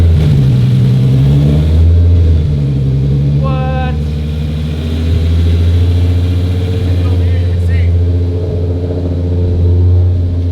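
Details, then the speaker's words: Audi RS3 test mule with junkyard VR6, custom engine harness and relocated ECU, first fire-up cold, no coolant, untuned, slightly rich with foot on pedal: catches, brief rev, steady even idle; normal start, no ECU errors. "I mean, it's running a little rich right now because I have my foot on the pedal a little, you know, whatever. It's not really fully tuned and it's cold, but everything's reading. There's no errors in the ECU."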